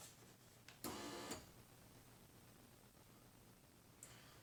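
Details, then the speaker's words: 1999–2005 Pontiac Grand Am GT, rear door window, about 20 years old: short half-second electric whirr from inside the door with no lift strain; motor runs but glass not driven up, possibly off its track; cause unconfirmed. "The motor's definitely working. And the window appears to be attached still. So that's interesting. Very interesting. So it's going down, but it doesn't pull it up."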